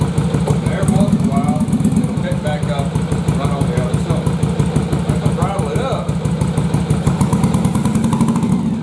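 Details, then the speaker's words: Yamaha Virago bobber twin at idle running on one cylinder, lumpy uneven beat with gaps where front cylinder drops out and stays cold; cause found to be a fouled spark plug that won't fire at idle, not the carbs. "so when i fired it up it fires up but it only hits on one cylinder here both of them come on and one of them being really erratic"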